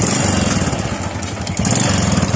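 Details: Honda RS125 carburetor-type motorcycle idling: quick, hollow rattling knock under the exhaust beat, piston slap.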